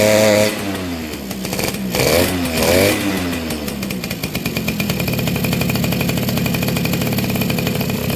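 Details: Two-stroke motorcycle after replacing a hardened, leaking inner crankcase seal that had prevented starting: quick, even crackling idle with no misses or stumbles.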